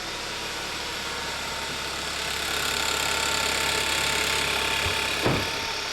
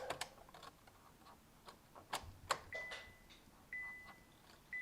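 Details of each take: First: 2011–2015 Kia Optima 2.4L GDI just after a valve cover gasket replacement: fast, fairly regular ticking of about four per second over a steady idle, likely from the top end. The ticking was not present before the job. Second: 2011–2015 Kia Optima 2.4 L GDI after valve cover gasket replacement; key cycled on and off twice before starting, faint clicks and brief electric hum as the fuel pump primes: normal fuel pump priming clicks.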